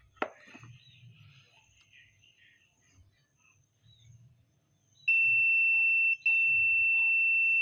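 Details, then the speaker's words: Sharp blender speed switch retested with multimeter after cleaning with contact spray: position 1 still open, steady high continuity tone with one short break on position 2; switch needs replacing, used on speed 2 only meanwhile. "2ติดนะครับนี่แบบนี้นะครับอ่าต้องต้องเปลี่ยนนะครับหรือถ้าบ่เปลี่ยนนะครับกะมันจะใช้ได้แค่เกียร์2นะครับ"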